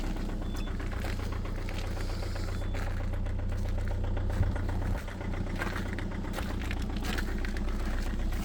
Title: COLD START diesel at -5,1°C with a very strong knocking sound, egr off 2.0 hdi #rybin